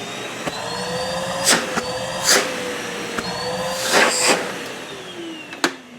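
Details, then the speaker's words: Numatic Henry HVR160 vacuum, reassembled after repair with filters refitted: smooth, steady motor hum with a gently wavering whine and a few handling bumps; quiet, healthy motor running. "Just love the quietness and how simplistic this machine is."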